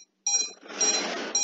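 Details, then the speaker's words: Drone ESCs configured for DShot600 in INAV, on battery connection: repeated high tinny continuous beeping as the ESCs don't accept the protocol; switching to standard protocol stopped the beeping. "so now if I let me show you when I connect the battery the es is uh start to beep the problem that I've told you about"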